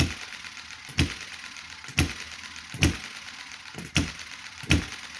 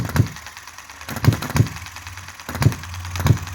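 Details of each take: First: Chinese model hit-and-miss engine started after months unused, with thick oil and possibly dried oil in the carburetor: sharp pops about once a second at uneven intervals. Running is erratic but steadies as fuel flows and the engine warms. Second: Chinese model hit-and-miss engine: single sharp firing pops at uneven gaps with quiet coasting between; running nicely and properly.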